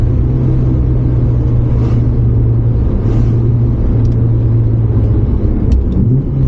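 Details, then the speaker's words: R31 Nissan Skyline RB30 six-cylinder on a road test drive after fitting a Holden VL Turbo ECU and brown-top injectors. An even, smooth drone with no hesitation, popping or knock. Running fine, with more midrange pull. "hopefully you can see in the video that it's um yeah running fine smooth it did feel like it had a little bit more pick"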